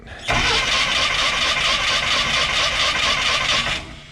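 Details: Jeep cranking with a steady whirring churn for about three seconds without catching; cranks but won't start; choke tried next.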